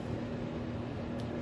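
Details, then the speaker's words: Samsung over-the-range microwave, run for 30 seconds after replacing the faulty button panel with control board: a steady low hum and even fan whir with no buzzing or arcing crackle shows it is heating normally. "So let's just fire it up a second and give it 30 seconds. There it is. The unit is working. So that's all it is."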